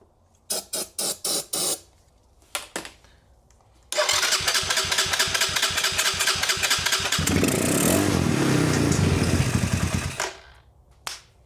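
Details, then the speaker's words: 2020 Chinese Apollo 250cc dirt bike, starting fluid sprayed in, no gas in tank: a few failed cranking bursts, then single catches, runs steadily, revving and dropping; starts and runs. "It runs. Hot diggity dog. All right. Just for confirmation."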